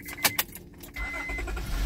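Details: 2005 Honda Pilot with a new battery starting after its blown 120 amp main fuse was replaced: a few key and latch clicks, a brief crank, then it catches into a steady idle. It starts normally with no hesitation.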